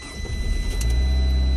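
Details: 2012 Fiat 500 that cut the starter after losing oil prime, restarted after the fix: short crank, then catches cleanly and settles into a smooth, even idle; healthy start.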